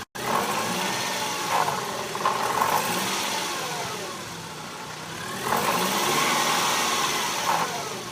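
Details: 2000 BMW 318i Touring (E46) idling, then revving up and back down, with a light metallic rattle; source unclear.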